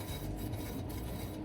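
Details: Car with humming from about 40 mph (smooth at 20–30), jacked up with wheel spun freely: steady low hum and faint rubbing drone, indicating a worn wheel bearing.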